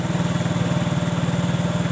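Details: Yamaha Mio J scooter at a steady, even idle with no misses or knocks after it had died while riding and would not restart; the cause was a loose ECU-to-fuel-pump IC socket, now reseated and running cleanly.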